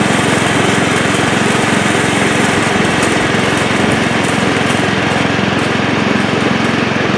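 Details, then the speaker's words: Old Montgomery Ward Power Kraft riding mower cutting with blade engaged, no air filter fitted: steady, even single-cylinder drone at about 3.7 beats per second holding speed, after earlier stutters while driving; runs and mows, healthy under load. "Well, there you have it. Runs and mows. It actually cuts pretty nice too."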